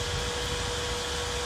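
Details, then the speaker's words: 4-wire PWM computer fan cooling a controller at 24 °C, spinning faster after the temperature setpoint is lowered (yellow wire unconnected): even airy rush, steady mid-pitched hum, no rattle or scraping; running normally. "alors on a vu que le ventilateur tourner au ralenti et actuellement il est à 24 degrés le contrôleur si je baisse la température ici normalement ventilateur voilà il tourne encore plus vite"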